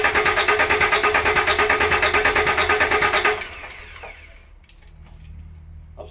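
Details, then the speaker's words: VW LT35 diesel van laid up four years, ignition on to open the pump stop solenoid while bleeding the fuel system: steady starter cranking about three beats a second for three seconds, stops without firing; cranks but no start. "turn the gesture on and that allows the stops only on the pump to open so we should get some diesel coming through so let's see"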